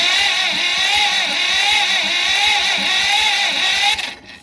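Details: John Deere B that sat many years, cranked after its corroded plug wires and boots were cleaned: the starter whirs with regular thuds but the engine never catches. No spark; the distributor points are suspected corroded and needing sanding.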